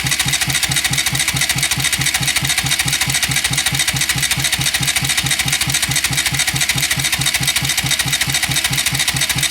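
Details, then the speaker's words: Bajaj Rouser NS200 cranked in neutral with the spark plugs removed, checking oil rise and noise: fast, even cranking with no knock or odd metallic noise. Oil rises, though slowly. "no hace ningún ruido raro aceite sube también que con el burro no es lo mismo que con la moto encendidas"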